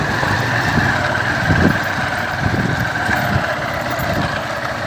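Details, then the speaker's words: Honda Fan 150 single-cylinder motorcycle after an oil pump gear area repair: an even idle putter with no knocking. The earlier piston-slap-like rattle on gear changes and uphill acceleration is gone, so this is a normal idle. "Tô mostrando aqui pra vocês que resolveu o problema. Eu vou apertar no freio agora. Travou o barulho aí, ó. Você observa que antes ela trelava bastante, né? Como se fosse pistão batendo. Agora aí, ó."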